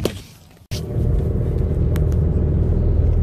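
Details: Mazda Protege5 under way with the air conditioning on: uneven, pulsing low rumble stumbling about four times a second from a misfire, with shaking and sputtering and no check engine light. Owner attributes it to arcing in the ignition.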